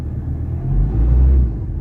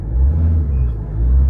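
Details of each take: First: Ford Ranger 3.2 with low power and no check engine light, battery weak: deep rumbling idle that surges and sags about every second with heavy shaking through the whole vehicle; rough idle, cause not yet known. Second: Ford Ranger 3.2 diesel: low rumble swells promptly on two short pedal stabs around 1,000 rpm and settles back without hesitation; normal throttle response.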